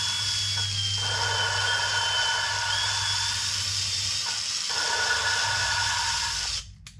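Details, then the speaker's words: 1997 Land Rover Discovery cylinder head, valve lapped with drill and water-based compound: drill whine over gritty, crunchy scraping with bigger bumps each spin; valve and seat still rough, need more lapping. "how kind of crunchy that is you can almost hear there's just more more bigger bumps"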